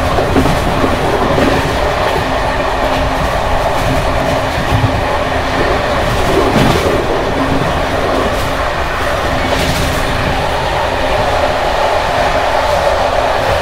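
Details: Bd264 481 coach (built 1979) on Görlitz V bogies many kilometres since last overhaul, evening express at speed over uneven line 190 near Hluboká nad Vltavou–Číčenice; loud continuous rattling and clatter as worn brake rigging jumps.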